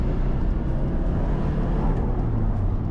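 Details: Nissan S13 Silvia turbo, 5-speed, while driving: deep, steady engine rumble with no knocks, rattles or grinding; it sounds healthy.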